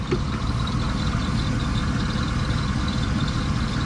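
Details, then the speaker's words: Mitsubishi 3000GT VR4 twin-turbo V6, started first try after sitting four years, oil leaking near oil filter: steady idle with a faint light metallic rattle from a loose bolt in the upper timing belt pulleys. "so we'll go ahead and uh fix that ordeal soon but you can hear one of the pulleys on the upper end"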